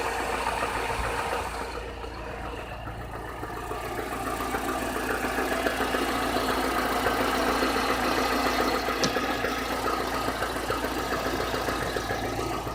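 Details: Chevrolet Niva at 45,000 km, cylinder head replaced under warranty in early 2017: steady idle with a regular light knock three or four times a second, worsening since about 30,000 km; source unknown.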